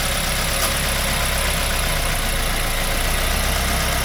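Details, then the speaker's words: 2005 Mazda 3 2.0L 4-cylinder, 5-speed manual, after removing and manually cleaning all four injectors for random misfire; steady even idle, smooth low rumble, no stumbles or skipped beats; running fine, no misfire, checking for leaks. "okay guys guys running fine no any misfiring all good make sure the three leak somewhere normally"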